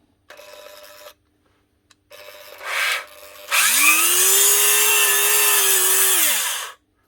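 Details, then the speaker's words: Dremel Multi Pro 395 rotary tool used for drywall, spinning with a harsh scratchy high squeal and running badly; bearings seized with drywall dust, to be replaced. "she's turning and she's running but she's running very badly bearings are all seized up because of the drywall dust making it very difficult to turn"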